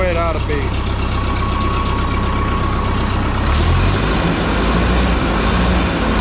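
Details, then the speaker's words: 1951 Ferguson TO-30 tractor with cleaned original spark plugs, intake okay: catches and settles to smooth even idle, no misses or rattles; running like a champ after days of troubleshooting. "before we finally found the magic touch it's running running like a champ"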